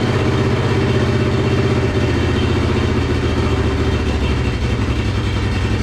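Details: Monster golf cart first start after new fuel pump, temporary gas tank: low choppy sputter with pulses dropping out, like firing on one cylinder; choke being adjusted, idle later adjusted, cause not confirmed.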